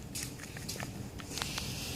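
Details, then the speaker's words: Removed upper control arm with ball joint from a 2003-2007 Honda Accord, worked up and down: sharp, irregular clicks several a second; worn, loose ball joint that could have popped out of its socket. "see if you could see it it's even making clicking noise you can you can hear it's going up and down so this is very dangerous situation this could have popped out of its socket"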